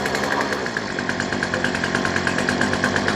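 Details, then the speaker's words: Two-stroke weed eater on full choke just after a new replacement carburetor is fitted, throttle opened: pulls on and off unevenly at high throttle with a wavering beat; new carb still needs mixture setting, cause suspected not confirmed. "so we're gonna hit the gas that's normal when you get a new one you need a little bit"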